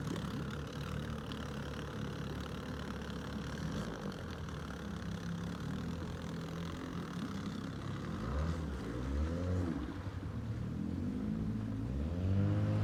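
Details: Outboard on an abandoned jon boat, sat over winter and unknown if it ran, first start attempt in water: even two-stroke buzz at idle, then clean, smoothly rising revs near the end; runs healthy, better than expected.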